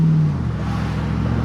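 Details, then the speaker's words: 2005 Chevy Tahoe V8 driving after misfire repair with short tube headers fitted, exhaust leaks gone: steady even low drone while cruising, no miss, knock or exhaust tick; oil pressure good while driving, engine healthy. "But the motor sounds really healthy. It's running really good, so I'm happy."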